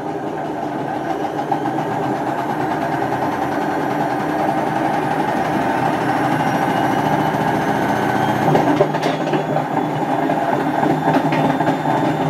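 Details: Hotpoint First Edition FEW12 washing machine, left outdoors for months: a loud constant rumbling roar with a rough grinding edge that builds as the drum spins up. The drum bearings are badly worn.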